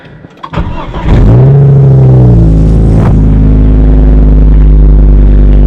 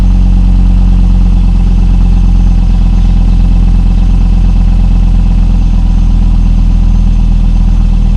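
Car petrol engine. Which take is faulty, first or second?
first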